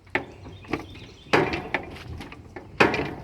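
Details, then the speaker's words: AGT Industrial QK16R mini excavator, bucket raised: sharp, irregular clunks about once a second as the hydraulic swing (pivot) motor shifts in its mounting, loose for the third time after Loctite held about 20 hours. "And you hear that sound, that's the motor shifting around in it because it's loose. I know this because it's happened twice so far already."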